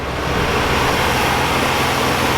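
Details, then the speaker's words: 1978 Oldsmobile Cutlass V6 sitting since 2005, just started after sitting, carburetor has no accelerator pump; quiet, even idle firing on all six with no stumble; normal idle. "wow unbelievable how nice this car runs"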